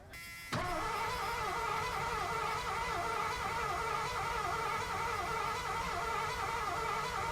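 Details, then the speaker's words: 1986 Ford Bronco cranked while starting fluid is sprayed into the intake: continuous even starter whirring, never catches; owner now suspects no spark. Crank no start, cause unconfirmed. "All right. Might not have no spark. I thought I was getting spark."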